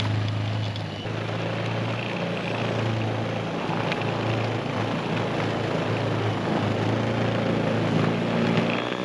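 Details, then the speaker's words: Greenworks 80V 20" brushless cordless snow blower running non-stop through deep powder, cleared to dirt in 6.5 minutes; even continuous motor hum with snow churning, holding speed without bogging: normal running under load. "I just got this whole stretch done down to the dirt, down to the earth in 6 and 1/2 minutes. And we've got a lot of powder right now. But it did really, really good."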